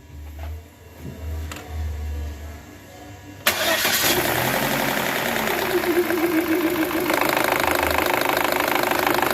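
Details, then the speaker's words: Chevrolet Cruze LT engine started, running with a rough metallic clatter and brief whine from the timing gears; timing gear noise, a common fault on this engine, needing disassembly to diagnose properly. "escuchar este ruido viene de esta parte de aquí de los engranes como muchos saben el problema de este cruce es muy complicado siempre es es muy este mensual que nuestro sangrane tenga este fallo"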